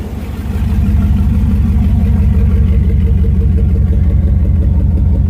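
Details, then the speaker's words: Truck with new headers, muffler removed leaving a straight pipe from the cat: deep, loud, pulsing rumble swelling as the engine revs; owner feels the engine runs a little better with the muffler gone. "but it sounds pretty badass so i think we're gonna keep it and uh engine sounds like it's running a little bit better"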